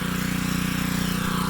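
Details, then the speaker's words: Pressure washer after a CAT pump rebuild, running outside: steady, even engine drone with smooth pump pulse, no knocks or surging; running normally. "I'm gonna get this a little it won't take it outside and fire it up see what happens just be running fine"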